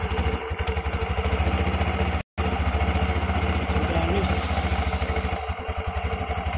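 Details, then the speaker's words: Yamaha Xeon carburetor scooter CVT, after fixing a loose component that caused a loud jingling noise: steady single-cylinder beat with smooth, even drive whirr, no rattle or scraping; transmission now healthy. "sudah lancar."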